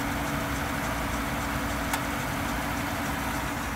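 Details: Volvo after a cold start, noise from the right front wheel well: steady idle with a coarse continuous grinding rasp over the engine note; source not yet known.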